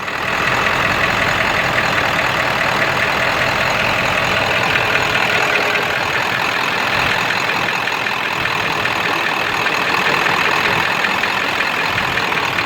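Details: 7.3 diesel rough runner with no power, switched from high idle to street mode: dull knocking under loud clatter, owner says sounds like a rod knock; raw-diesel-smelling puffing blue smoke, EGTs good, cause unknown.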